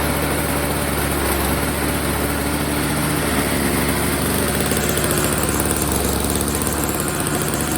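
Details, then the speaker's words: Old Snapper two-stroke snow blower, first start after storage with fresh oil-gas mix, before repair; steady, buzzy idle with no misses or surging, running pretty good except it's dumping gas from a leak: engine running normally. "Alright, it's running pretty good, except for this problem. It's just dumping gas."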